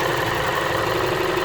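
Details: Ford, 74,000 km, oil level at minimum: steady idle with faint metallic knock; metal shavings and bearing shell particles found in oil, crankshaft bearing wear suspected before teardown; engine bearing knock.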